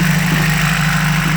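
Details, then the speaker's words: 1993 Toyota 22R petrol four-cylinder idling steadily but noticeably fast with an even raised hum, no knocks; O2 sensor shows running lean, TPS unplugged earlier for testing (code 41); high idle. "When we're gonna check for, you can hear that one is a high idle."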